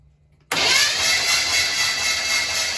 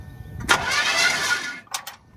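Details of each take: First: Impala during a screwdriver spark test with the carburetor removed: a steady high whir of the starter cranking for about three seconds with no firing; cranks but no start, no spark. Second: Old Chevrolet Impala, first crank attempt without intending to start: short, even burst of starter whir spins the engine freely with no clicking or dragging; starter cranking normally, loose battery connection found afterward.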